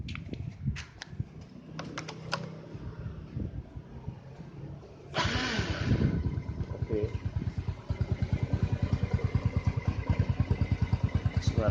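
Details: 2003 Yamaha Jupiter Z (5TP), over 16 years old with more than 250,000 km, started after servicing and bodywork reassembly: handling clicks, then the engine catches and settles into an even idle of about three beats a second, running smooth and healthy.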